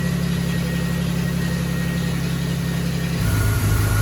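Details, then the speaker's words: 1975 Triumph TR6 six-cylinder after the camshaft was re-degreed and timing redone: smooth, even idle with a steady low thrum and no ticking. Thermostat open at 85–86°C, oil pressure 90–100 psi, alternator 14.2 V. Normal idle. "Alright, so sounds good."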